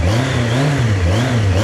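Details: Yamaha XJR1300 four-cylinder, started on a little choke after 3.5 months parked on a trickle charger, before its MOT; quick throttle blips rise and fall smoothly with crisp return to idle, no misses or rattles; normal revving.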